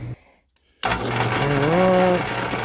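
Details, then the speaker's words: Old belt-driven buffing wheel arbour after repair (new shaft machined, bushings reamed out): steady low hum with a smooth motor tone and no knocking or rattling. Runs nice and quiet, quiet enough to hold a conversation. "let's turn it on now we shouldn't get any surprises and it should run nice and quiet yeah I should have done this years ago"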